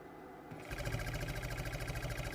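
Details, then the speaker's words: 2007 Audi A8 air suspension compressor powered from a power supply with fault 01400: pump kicks in at once with fast, even chatter and steady hum, building pressure; normal compressor running. "I'm going to put uh voltage on the wires for the pump you're going to hear the pump"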